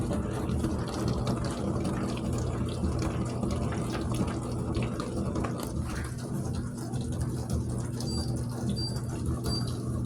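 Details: Dishwasher after repair (door screw reset) at cycle start: steady rush of water filling the tub over a gentle low pump hum; normal fill.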